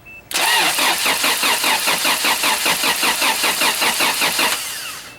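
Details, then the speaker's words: Toyota Celica 22RE engine after gasket replacements, compression test while cranking on charged battery: steady, even cranking rhythm about 2.5 beats per second; cylinder one reads about 150 psi, healthy and even. "After a couple cranks, cylinder one is at about 150, which is pretty good."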